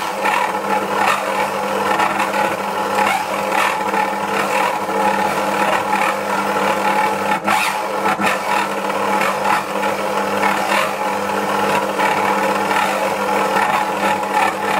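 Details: Dualit 88013 desktop mixer kneading 500g flour and 300ml water, within rated limits, with a steady high motor drone and rough pulsing grind under dough load; it skips speeds and strains, and a replacement unit sounded the same.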